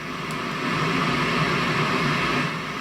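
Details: 1971 JCPenney 1758 solid-state stereo, volume board removed, powered on: steady hiss with faint hum through speakers; noise problem being traced with a tube signal tracer, source not yet found.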